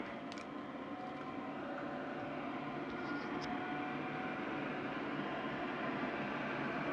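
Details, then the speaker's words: IQAir Compact air purifier after its seized 10-year-old motor was replaced with an inline centrifugal fan pulling air through the original filters, at full speed: steady even air rush and smooth fan hum, no rubbing or ticking; normal fan running, quieter than original. "this is actually quieter than the original iqr machine was and i can turn the uh speed up and down with my ceiling fan control"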